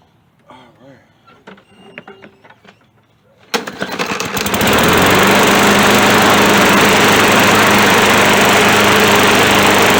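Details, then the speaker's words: Poulan Pro catches after reassembly and settles into a steady, even, healthy running note without needing a carburettor cleaning. "right oh that feels nice it don't even need a carb cleaning all he needed was me to get it running"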